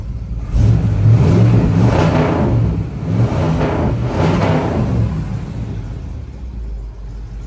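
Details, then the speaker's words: 1977 Chevrolet Monte Carlo V8 after converting stock fuel tank to in-tank fuel pump, first start on lift: catches and settles, two clean smooth revs with steady deep idle between; healthy. "And she sounds good."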